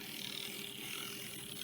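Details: Vintage Varney Docksider diecast model locomotive, after cleaning, oiling and easing brush spring tension: fast dry ratcheting gear chatter runs steadily under a thin motor hum, gear-mesh noise in the drive train; a hesitation possibly from the drive rods.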